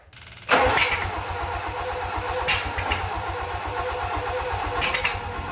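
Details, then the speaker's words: Toyota Corolla KE55 with 4K-C engine, cranking after rotating the distributor: steady starter churn with three sharp pops in about five seconds. It backfires instead of starting because ignition timing is 180 degrees out. "all right so it's backfiring all right so i just stuffed around for about half hour trying to figure out why i couldn't get this thing started"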